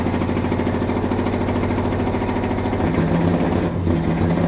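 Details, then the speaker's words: 1971 Dodge Sweptline big block V8, rear cylinders previously hydrolocked with fuel from carburetor flooding crankcase; rough idle with uneven stumbling beat, misfire, firing order confirmed correct, plugs fuel-fouled, clearing to about seven cylinders. "There, now she's cleaning up. Still got a miss. I think we got hitting on about 7 now. Man, she just drowned in fuel."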